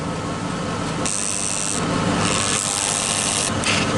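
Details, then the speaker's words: 2003 GMC Yukon idling while trying to shift the transfer case: a high whirring motor runs in two bursts but the transfer case won't shift; either the shift motor gears are stripped or the transfer case is stuck. "he said he's trying to turn it but it won't do it alright so now either the gears is messed up in that trash and that transfer case motor or the transfer case is so stuck you can't turn it"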